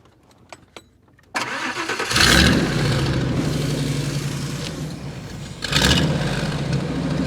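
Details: 1998 Ford Econoline 350 5.4L after the EGR was blocked off: starter catches quickly, engine fires and settles into a steady smooth idle with one brief blip; should be the last problem.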